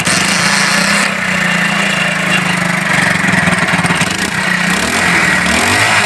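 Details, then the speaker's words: China 70cc Unique motorcycle with misfire, after fitting a spark-tested good plug: engine runs fast and even with steady buzz, no missing; normal running. "देखें दोस्तों, ये अब तो missing नहीं कर रही।"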